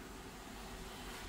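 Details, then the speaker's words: Police car with no AC blower and no cold air; contact clicks and blower blows cold: steady even air rush, no whine or rattle; normal blower operation. "I bet my blower working now. Let's go see. Yep. Look at that. You know what that mean? It's cold. It's blowing now."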